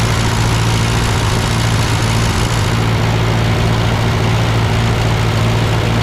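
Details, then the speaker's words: Ford 8N tractor that sputtered uphill with cheap replacement carb, now with old Marvel-Schebler carb fitted and adjusted: deep, even chug at steady idle with no misses or knocks; running well. "sounds good okay all right that's my amateurish attempt to try to kind of adjust this carburetor to this tractor"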